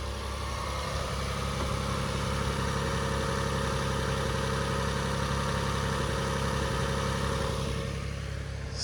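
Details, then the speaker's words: 16-year-old Lexus hybrid, quick start after sitting neglected: idle fairly even but a faint irregular stumble breaks the beat now and then; slight misfire, cause not confirmed. "sounds good but I think there's a very very tiny misfire yeah we definitely have a misfire"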